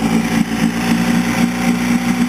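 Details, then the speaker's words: 1960 Evinrude 10hp Sportwin two-stroke outboard, started after many pulls: uneven, lumpy running that must be held at fast idle or it wavers and wants to die, worse when idled down, armature plate shaking; rough idle, cause unknown. "Okay, as you can see, it took quite a few pulls, and I really have to rev it up to keep it going."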